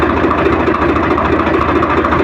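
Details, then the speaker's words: Swaraj 855 FE tractor diesel idling in neutral, clutch pressed and released with no change in sound, after a gear job for noise caused by the 4th gear rubbing the input shaft gear: steady, even beat, no whine or rattle; gearbox sounds normal. "अभी हमने ये clutch को दबाया और थोड़ा इस तरह से और इसका साउंड में कोई डिफरेंस नहीं हो रहा है"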